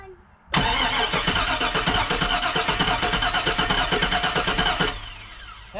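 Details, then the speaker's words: 2002 Cadillac Escalade barn find parked 5 years, fuel gauge below empty: steady starter cranking about three beats a second for four seconds, never catches; cranks but won't fire. "we're getting closer well at least now we get some crank now uh the gas gauge says below empty so i'm going to try putting some gas in it and see if that helps"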